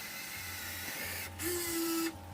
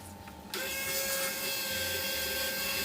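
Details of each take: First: RC car winch on a third-channel winch controller, winching in under load: short strained motor tone rising then holding about a second; motors growl because only low voltage reaches them. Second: RC car winch on a third-channel winch controller fed 11 volts, bypassing the receiver: after a quiet start the motor spools out much faster with a steady, high, even whine, running smoothly.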